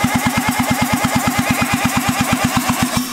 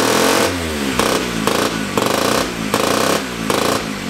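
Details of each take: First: Rebuilt 1975 KC27 294cc rotary from a Hercules W2000 motorcycle, first run on a temporary carburetor gasket: catches and runs briefly with soft even pulses about three per second, lacking punch, then dies. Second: 1975 KC27 294cc rotary from a Hercules W2000, rebuilt, kick-started with transmission fitted: buzzy bursts as it is blipped, then a fast even raspy pulse that holds steady; runs good.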